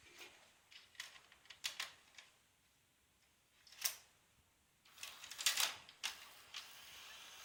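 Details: Panasonic NV-HS950EC VCR with a tape that won't start or eject. Scattered clicks and short mechanical whirs with quiet gaps as the loading mechanism keeps trying but never threads or ejects, a tape loading mechanism fault later traced to a hard-to-find broken part.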